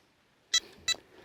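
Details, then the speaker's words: Carp fishing bite alarm on the rod: three short, sharp high-pitched electronic beeps about half a second apart in a quiet setting; alarm sounding normally, as it does when a fish takes line. "and you hear that thing beeping and if a fish takes it you know it's going to make that noise as it's going out"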